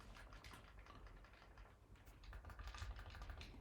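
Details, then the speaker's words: Older AIM controller, recorded for comparison with an iPhone 14 Pro Max connected to a MacBook, using the internal microphone; crisp, sharp button clicks about three a second in a quiet room; normal, healthy reference click sound. "I have for comparison an older aim controller here which is very fine. Yeah. Works excellently and it should sound like that."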